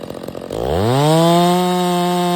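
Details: Stihl MS 660 chainsaw with a 32-inch bar, which revved high but would not hold idle and needed the choke. After the carburetor and air filter were cleaned it snaps from a stumble to a clean, steady high rev with no surging; it runs great now.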